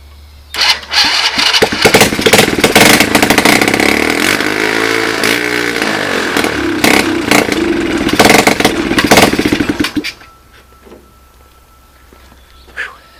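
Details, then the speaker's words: Free 110cc Chinese ATV, 3-speed semi-automatic with reverse, started on starting fluid and tested in reverse: small single revs roughly under load about nine seconds then shuts off, some smoke; engine and transmission working; normal running. "So, it looks like I got a running unit that the transmission works on."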